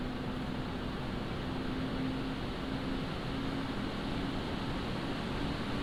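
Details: Montech HyperFlow Digital 360 AIO on open bench, ramped up from idle; soft even airflow hum with faint steady tone, no sharp whine or rattle — normal fan and pump noise.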